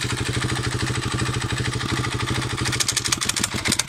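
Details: Honda CRF250X single-cylinder dirt bike at low idle with a light, sharp ticking over the thump, and it stalls.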